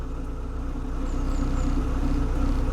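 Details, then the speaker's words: Ford Escort Mk6 project car, after a no-start; smooth steady idle with even low hum, no misses or knocks; owner suspects a faulty temperature sender, separate issue; normal idle. "Who knows, but notice it's starting absolutely fine now."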